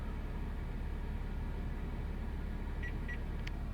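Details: 2013 Jaguar XJ (X351) Portfolio, heard from the cabin while stationary with the engine off: steady low hum, then about three short, high chirping beeps from the engine compartment; also occurs at low speeds, with no error codes or dash warnings.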